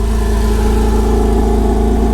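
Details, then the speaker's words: 2005 Porsche Boxster S 987, first totally cold start during a rebuild, with one coil wired onto bare contacts after its connector crumbled: a steady, even low idle with a regular firing pulse, no knocks or misses. The steam is normal. "steam. That's normal for the totally cold start."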